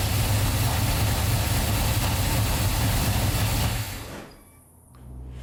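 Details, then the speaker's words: 1990 third-gen Camaro, small block Chevy 350, Flowmaster mufflers, Holley Sniper EFI, after exhaust leak welding, first start after two months sitting: deep lumpy idle with loose uneven rattle about four times a second, possibly underneath, source unknown. "you can still kind of hear there's something rattling or I'm not too sure what it is it might be something underneath the"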